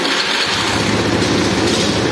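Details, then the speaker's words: Honda Beat FI scooter started to check its charging system: it fires up and settles into a smooth, even idle with a light buzzy exhaust and no knocks; battery reads 12.8 V at idle, rising to 13 V before any throttle. "ya motor sudah hidup untuk langsamnya di angka 12,8 volt ya"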